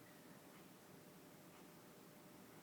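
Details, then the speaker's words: EVGA superclocked 4GB GPU under load in Dark Siders 2 at 120 fps after whine fix; only faint soft case-fan hiss, no high-pitched electrical whine; no coil whine. "it's 120 frame per second and no whining noise at all if you can hear that or if you hear something it's just the fan noise my case fine fan noise not a whining noise"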